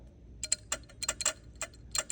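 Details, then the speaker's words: Original starter solenoid on a 1968 Dodge Coronet V8 four-speed, off the road for decades, triggered by tripping the power wire: crisp metallic clicks, about a dozen in two seconds, no buzzing; normal solenoid click. "So, this is the original starter solenoid that was on the car. And I am shocked to say it works."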